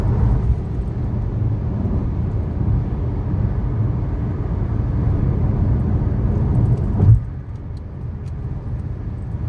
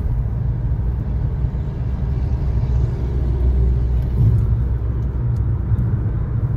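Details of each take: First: 2013 Chevy Sonic, 75,000 miles, driving: steady low hum under road noise at cruising speed from a bad left front wheel bearing; the passenger-side bearing is new. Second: 2013 Chevy Sonic, 75,000 miles, on a road test after replacing the front wheel bearings and lower ball joints. Only a steady low road rumble at speed, with no growl or hum building: the wheel bearing runs quiet.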